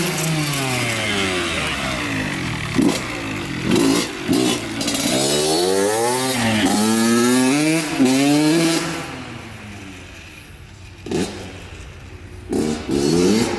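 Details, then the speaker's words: Honda CR80 two-stroke (90-92cc) with new Keihin PWK 28 carb, air screws untouched, about 45-50°F: revs climb and fall but go muffled and blubbery near the top, loading up, yet pulls well at bottom and mid. Later traced to an oil-fouled spark plug. "it sounds like it's loaded up at the top but I do notice that it pulls really [ __ ] good at the bottom at Mid so it might need a little bit more tuning"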